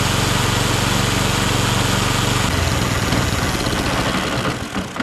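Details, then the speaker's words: Allett 10-blade cylinder mower during back-lapping, with the reel just touching the bottom blade; an even engine drone with a steady reel whirr holds speed, then dies away. Normal running. "What I'm going to do now is start it up and just let it run for about 5 minutes."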